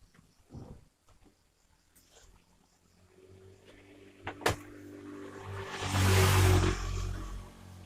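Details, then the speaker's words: Twin-tub washing machine spin dryer that spun slowly, after rewiring the capacitor and timer (brake already missing): motor hum builds into a loud rushing whir around six seconds, spinning up fast and healthy. "kita coba daya putar dia Nah itu kan kencang sekali sudah kenceng dan nyaris Nah itu putarannya kencang ya"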